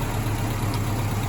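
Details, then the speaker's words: Mazda B2000 after clutch replacement and #2 connecting rod repair, valves adjusted to spec: steady low idle with a light quick valve-train tick on top, normal for this engine, no deep knock. "Um, did you do hear some ticking? That's the val train. Uh, ignore that. Just what these things do."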